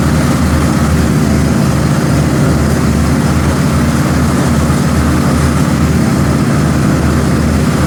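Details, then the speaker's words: Cub Cadet XT1 Enduro garden tractor after replacing a mower deck spindle and fitting a new deck cover, deck engaged: steady, even engine drone, deck running smoothly with no grinding or knocking; healthy. "and she sounds good"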